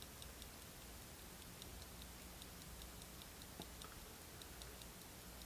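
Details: 1971 Tochmash Vesna mantle clock that had not been running. Faint, weak, even ticking over room hiss; escape wheel turning but balance amplitude very low, hoping the oil works its way around.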